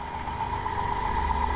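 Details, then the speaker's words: 2005 Dodge Grand Caravan 3.3L running with alternator main battery cable removed: steady mid-pitched whine over calm idle, alternator getting hot; noisy alternator, likely shorted diode pack causing battery drain arcing. "I need an alternator running and if you can hear that this is a wee bit noisy"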